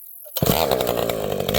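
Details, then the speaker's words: Vintage two-stroke chainsaw with a governed carb that burbles however lean it is set: uneven, burbling skip in its note. Normal four-stroking from the governed carburetor. "This old girl is running beautifully. You can hear this thing has a governed carb. So, uh, it, uh, it blubers no matter how lean you you can't lean this thing out too much."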